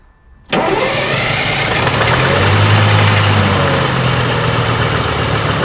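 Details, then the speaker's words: AVGP Husky armoured vehicle diesel, sat outside 10–15 years, first start attempt: steady fast starter churn about four turns a second, never fires; no fuel coming out, fuel not reaching the engine. "there's still no fuel going through the yeah we're not getting any fuel coming out"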